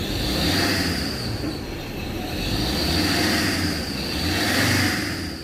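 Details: Ford Ranger Wildtrak 3.0–3.2 diesel revved: high steady squeal, grinding and bearing-like, over engine roar, swelling with revs; worn serpentine belt slipping, to be replaced.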